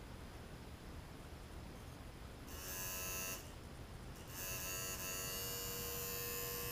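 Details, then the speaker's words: Zenith 4-B-231 vintage radio on DC power supply, synchronous vibrator with intermittent shutdowns: faint hiss, then steady high buzz starts and holds without stalling as B+ voltage rises; vibrator starting and running properly during troubleshooting. "so humming away you can hear it you can see the B+ voltage jumps up and it should be higher"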